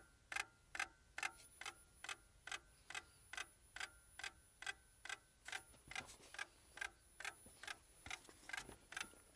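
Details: Lada Priora, cold, with the ignition on and the engine not running, and a complaint of hard starting. Sharp, even ticks about twice a second; the cause is not yet clear.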